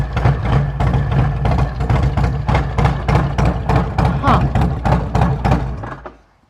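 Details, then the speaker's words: Harley-Davidson twin cam, 75,000 miles, Thundermax tuner, heard at the throttle body: lumpy uneven pulses about three a second, no throttle response, fading to a stall. Owner suspects a shorted or failed throttle body or an ECM issue. "listen for this noise in the throttle body here if you can hear it almost sounds like the throttle body is not working [Applause] correctly"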